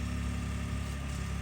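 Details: Ford EcoBoost twin-turbo truck with springs added to both wastegate actuators to stop wastegate rattle: steady, even low idle with a smooth unbroken tone and no rattle or tick; normal idle after the fix.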